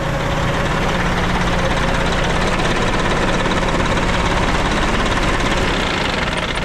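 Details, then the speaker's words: Abandoned Kenworth C500 off-highway mine truck diesel idling after revival; steady even clatter over a deep drone, no misses or knocks, sounds pretty healthy. "not bad sounds pretty healthy yeah love it"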